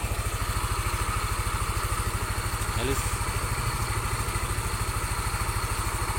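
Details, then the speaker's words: Yamaha NMAX scooter after repair of radiator coolant spraying and hard starting (new gasket, no glue): steady, even single-cylinder idle with no misses or knocks; starts and shuts off easily, coolant no longer sprays, road-tested about 6 km without problems. "ini mesin sudah halus suaranya air radiator sudah tidak nyembur di starter nya gampang dimatikan nyala gampang juga"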